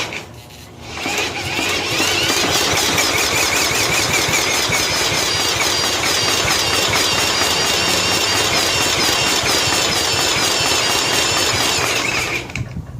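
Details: 1995 John Deere STX38 mower cranked by a drill on the starter with choke: steady high whine at about three strokes a second, never catches; a fuel-fouled plug is suspected.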